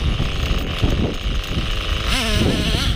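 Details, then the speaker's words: Hobao Hyper 7 nitro buggy on test run after new parts fitted, pitch sags and wavers as throttle comes on instead of climbing; engine bogging down, cause unknown. "Just bogging down. You can hear it bogging down. I'm happy with everything else, but you can just hear it bogging down, which I don't understand."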